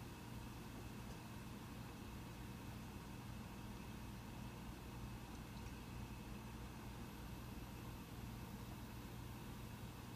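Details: Mac Pro 1,1/2,1 with 32GB RAM under benchmark load: steady soft whoosh with faint constant hum, no rattles or surging, fans ramping just slightly in the last half minute; normal quiet fan noise, system fine at 32GB.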